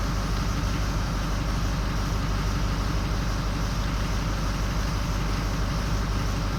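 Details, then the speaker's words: 2004 Ford 6.0L Powerstroke, injectors recently replaced, runs well for the first few minutes then loses injectors; a power balance test at idle shows cylinder 7, then 3 and 1, dropping out. Rough, uneven idle with a lumpy beat near three per second. "Oh, it's just getting worse. Number 3's dropping out. Number 1's dropping out."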